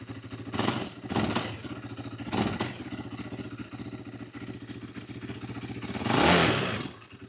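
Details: 2008 Yamaha YFZ450, a pieced-together ATV with the idle turned up, possibly low on gas: a lumpy, surging idle rising and sagging with clattery bursts while the carburetor leaks badly.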